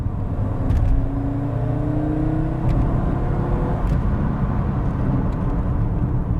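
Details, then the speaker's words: Audi Coupe GT five-cylinder, first drive after restoration, from 20 mph at 3/4 throttle: engine note climbs smoothly through the revs with no misfire or rattle; normal healthy acceleration. "Yes, it sounds great. Oh, that with an exhaust on it."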